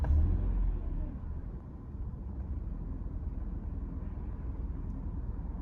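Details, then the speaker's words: 1993 Mercedes 220CE W124 coupe, 2.2L M111, cold: low, lumpy idle that sags and wavers, fires late and stalls. Test with the cylinder four plug lead pulled; owner suspects faulty leads, plugs or coils. Rough idle. "start it up um eventually fires runs rough and dies um when cold or if you can keep it running it runs really rough really quite a low idle"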